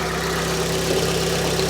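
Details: Fiat 500 Lounge, Cat S salvage, 115K miles, after throttle body cleaning: smooth even idle with a steady low hum, no misses, hunting or ticking; engine idling normally.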